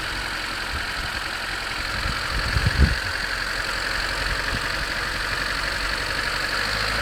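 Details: 1991 Honda CRX DX, D15B2 dual-port engine, 300,000 miles, cold start at 30 degrees outside; loose uneven clatter with a brief thump near three seconds, long-standing. Owner unsure whether rod knock, piston slap or valve clatter.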